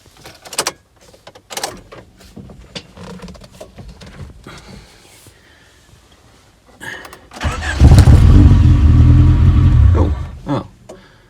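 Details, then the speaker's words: 1991 Rover 416 GTi non-runner with history of intermittent cutting out and lack of power: cranks, catches, runs about three seconds then dies; fuel pump heard running, owner suspects ignition/distributor fault, unconfirmed. "starts runs and then cuts out [Music] right [Music] i can't hear the fuel pump the fuel pump is running that sounds ignition related to me distributor"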